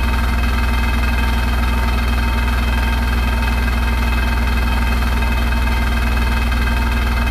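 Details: Hotpoint NSWR843C washing machine on final fast 1200rpm spin: loud constant deep roar with a fast rhythmic rattle about four beats a second throughout; rattling really loud.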